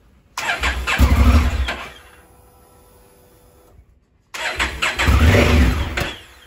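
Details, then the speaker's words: 2017 Honda Africa Twin, 11,000 miles: twice the engine catches with a short burst and dies within about a second; carbon inside the start-stop switch causes arcing and stalling, before cleaning the switch. "every now and again when i come to start it it'll start very quickly and then stop"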